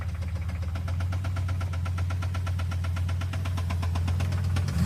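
A V8 idles with a steady, fast, light ticking, roughly nine ticks a second, riding over the low hum. Cause suspected, not confirmed.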